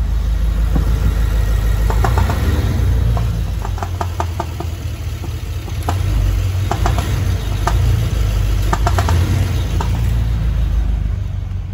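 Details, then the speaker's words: 2010 BMW X6M, 4.4-litre twin-turbo V8, idling: uneven sharp ticking knock sounding like rod knock; disappears when injector number four is cut with scan tool; loose, poorly sealed fuel injector. "you can hear it it sounds just like a Rob knock and you know what's funny is that when you've gone on your scan tool and you test injector number four so let's say start the sound goes away all of a sudden"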